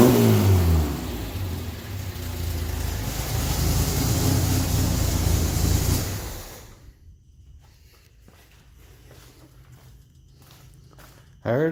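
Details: VW 1600 turbo flat-four after new turbo carbon seal and progressive carb tuning: pulls up cleanly through a few revs, even and steady, no knocks or rattles, then shuts down; healthy, belt destroyed on earlier test run.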